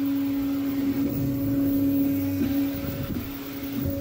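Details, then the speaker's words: Creality K1 Max 3D printer after raising velocity/acceleration settings in Fluidd: steady motor tone with short pitch dips at direction changes, smooth motion, no vibration at the corner; corners start rounding out. "yeah at this point I don't hear the motor vibrating over here now which is really weird"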